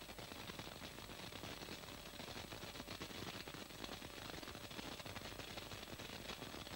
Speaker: im lichtbogen unter co2 ist ein material übergang bei philips rockiger als sei massiv traf großes tropfen volumen auch bei höheren strom das material geht nicht axial über vereinzelte kurzschlüsse verursachen spritzer die unter mit gas weitgehend vermieden werden